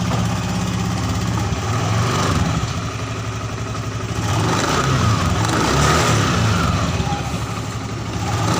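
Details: Honda Scoopy FI scooter after CVT repair: idling and revving smoothly, pitch rising and falling cleanly without judder or rattle; CVT previously rough and sluggish at low rpm, now responsive and normal.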